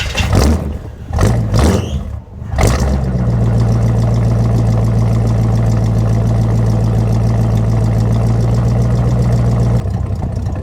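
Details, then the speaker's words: Old square-body Chevy Suburban replacement V8 before swap: starter cranks briefly, engine catches cleanly on a cold start and settles to smooth steady low idle. "There we go, there's a nice cold start right there for you."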